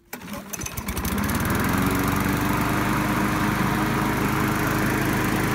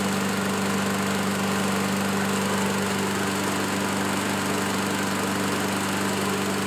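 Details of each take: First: Curbside-found Craftsman mower, started after reconnecting a boot-less spark plug wire and adding gas: catches after a few pulls, then an uneven, wavering putter at idle; runs rough, likely needs carburetor cleaning and maybe a spark plug. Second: Curb-find Craftsman self-propelled push mower, Ready Start: steady, even single-cylinder drone at constant pitch while cutting, no misses or surging; normal running.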